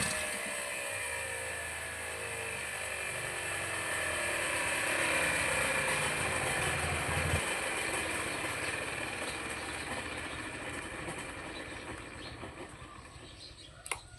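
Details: Two-stroke grass trimmer after carburetor cleaning and tuning, mixture screw backed out about three turns: high, buzzy note settling from a slight rise into a fairly even run while warming up, no misfires; normal running while warming up.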